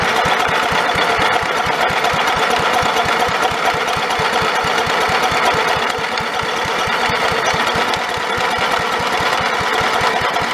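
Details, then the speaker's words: Snapper 30083 mower abandoned in the woods 20 to 25 years, fitted with a borrowed carburetor, swapped flywheel and electric starter, fresh oil and gas: starter turns the engine over rapidly and evenly for seconds but it never fires; cranks but no start, owner suspects a dead Magnetron ignition unit. "hmm see what happened [Applause] well back to the drawing board i guess old magnetron unit must be dead"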